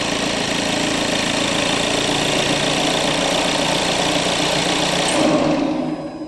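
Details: 2014 VW Golf 2.0 TDI EA288 diesel, first start of the day before repair (codes P0341/P0016/P0011): the starter churns three to four turns a second for over five seconds before catching; long crank from a sticking camshaft adjuster valve.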